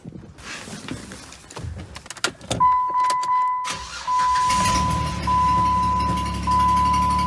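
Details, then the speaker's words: Jeep at startup after exhaust manifold gasket and new exhaust bolts fitted, spark plug heat shield not replaced: key chime, crank, rough idle with sharp puffing tick about three per second; still sounds bad, exhaust leak suspected; loose EGR valve bolts later snugged, halving the noise. "Let's go start it up and see if the thing sounds any better. Because if you've watched any of my videos about this thing, you know it sounds like trash."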